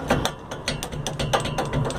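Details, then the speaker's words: Truck driveshaft rocked by hand: sharp metallic clacks, several a second, from excessive play of the slip yoke inside the sleeve; the knocking has also loosened the flange and its nut, and has probably damaged the flange splines. "Tá com folga aqui dentro, aqui do flange, aqui é da luva. Tá dentro da luva com muita folga."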